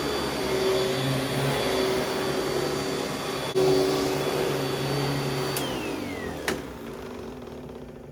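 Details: Vintage Panasonic Jet Flo vacuum cleaner after a belt change: steady, even motor hum with a faint high whistle and no rattle, then a smooth spin-down at switch-off. Runs normally.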